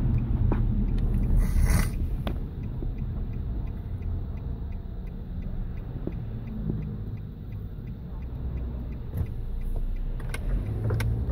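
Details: 2008 Nissan Rogue SL AWD engine running: light, uneven ticks over a deep, steady rumble. Ticking noise of unknown cause.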